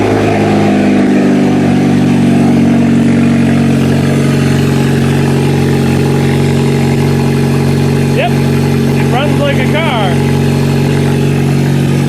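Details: Kia demolition derby car, started with a gas tank from another car and fuel pump wired to a toggle switch: even, steady idle with firm low hum, no knocks or misses, settling smoothly; normal idle.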